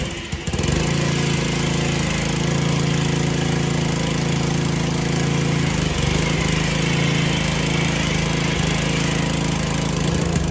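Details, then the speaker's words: Aging gas power washer small engine, already serviced with oil change, new spark plug and cleaned carburetor, still making the same noise: steady drone with rough, uneven pulsing; runs wrong, cause unknown. "As you can tell, my power washer is getting old. I've serviced it, I've changed the oil, I've changed the spark plug, I've cleaned the carburetor. But no matter what I do, it keeps that sound to it."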